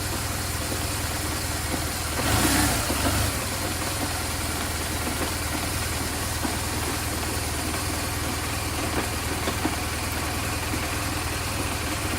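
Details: BMW R1200GS boxer twin after cleaning and realigning the clutch switch, clutch held in and started in gear: brief crank then steady even idle with low thrum, no knocks or misses.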